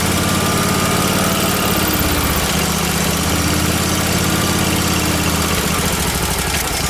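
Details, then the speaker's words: Miller Trailblazer welder's small gas engine running loud and uneven with a hunting beat, lean from too much air; fine when choked; suspected vacuum leak between carburetor and engine or fuel delivery issue, after a leaking fuel pump clamp was found. "I think it has a vacuum leak between the carburetor and the and the engine because it's just getting too much air you can see it's fine if I choke it down but then it there's just too much air there for the fuel"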